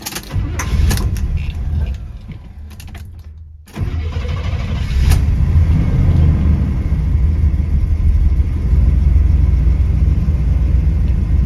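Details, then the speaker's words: 1972 Buick GS Stage 1 SunCoupe, sat about 6 years: cranks, catches after a few seconds, then idles unevenly and won't settle or stay running; owner suspects a vacuum leak, carb already adjusted just to get it idling. "It doesn't want to run or stay running. It feels like a vacuum leak, but I want to take you guys along to see if we can find it and make it work."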